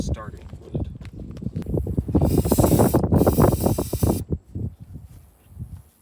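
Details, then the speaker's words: Lifted 1988 Suzuki Samurai, low oil, starting fluid sprayed in: the starter churns with occasional catching puffs but it won't start; the fuel gauge reads empty. "all right so it wants to start but it doesn't and the fuel gauge says empty so I'm going to grab some fuel and put some fuel in it"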